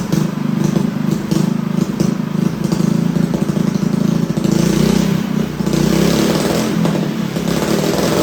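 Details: Newly assembled Honda GX200 clone engine with new exhaust, choke on: runs fast and a bit ragged with an uneven, hunting beat; lean mixture, needs jetting.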